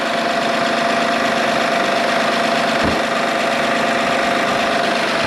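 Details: 2008 Honda Odyssey just after alternator, VVT and valve cover gasket replacement, not yet hot, charging 14.5 V: smooth even idle with steady hum and faint whine from nearly empty power steering fluid; engine runs fine.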